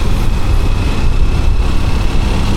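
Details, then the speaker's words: Honda XR150 single-cylinder after top overhaul with valve seals, taller higher-compression piston and carburetor tweak: steady even idle thump, no misses or knocks; engine sounds like new, normal idle. "Now the engine sounds like new. It should have as much power as new, right?"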